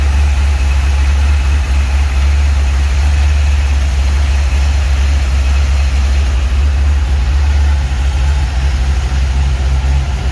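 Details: 1949 Chevy 3100 truck with newly installed V8 motor, first run in garage: deep steady low rumble, even unbroken beat, no knocks or misses; idles smoothly, sounds good.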